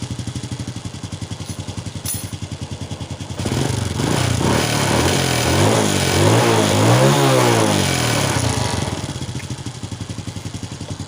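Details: Honda Wave 100 carbureted motorcycle that was hard to start and stalling, after cleaning the carb, replacing the air filter and clearing a clogged fuel filter: even putter at idle swells smoothly into a clean rev and back; no stumble or misfire.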